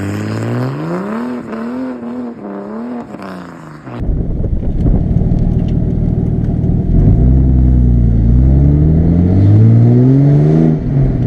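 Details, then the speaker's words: Barra inline-six swapped Mustang drift car after replacing the cylinder one injector with a new stock injector set: revs cleanly and pulls smoothly through rising throttle with even firing and no miss; now runs normally. "swapped out that injector and then she ran great it was just perfect"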